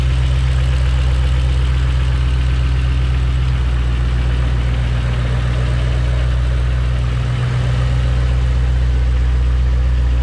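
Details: Ford Mustang 4.6L V8 with a faulty automatic transmission, likely low on fluid, left idling to charge the battery: deep, smooth, steady idle with an even beat and no knocks or rattles; engine sounds healthy.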